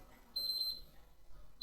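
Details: PS4 console, swapping in boards to find the matching one: single sharp high beep on pressing power, repeated once; the Renesas standby controller is alive and the console powers on normally.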